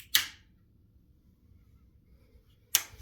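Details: Be Quiet Dark Power 13 1000W PSU when switched off: two sharp dry electrical snaps about two and a half seconds apart over near silence; owner suspects short circuit or false contact, cause unclear.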